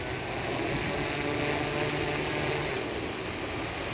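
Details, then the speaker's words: SuperX-controlled 1100mm hexacopter lifting off: steady multi-rotor whir rises slightly as the flight controller picks up the rear motors; a smooth, normal spool-up, though handling is a little twitchy and the owner wonders if gain is high. "see there it is it picked those back Motors up and look at that liftoff is so nice it's a little Twitchy"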